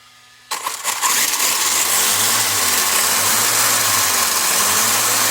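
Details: WLtoys 124016 RC car on the bench after replacing a bad front wheel bearing: bright smooth motor and gear hum settling to even spin, no clicking or rattle; drivetrain healthy.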